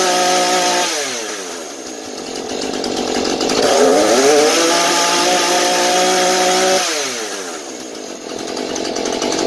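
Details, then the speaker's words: Husqvarna 435 chainsaw, previously not holding idle and dying at high speed, after bad fuel replaced with fresh mixed fuel: steady idle, clean rev to full speed, smooth return to idle; runs normally. "Nó duy trì trạng thái chạy không tải và vòng tua máy hoạt động bình thường ở tốc độ cao."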